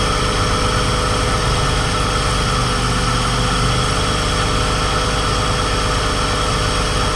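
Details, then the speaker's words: Car bought to flip, in the shop at idle: very loud faint-to-constant whine from the accessory belt area, getting much worse with RPM; a new alternator had already been fitted without curing it. Source unknown, suspected worn idler pulley bearing whine. "It's freaking loud, as you can tell. I'm not sure what's going on in there. Something in this belt is making all kinds of noise, and it gets way worse even with RPM. That sounds terrible."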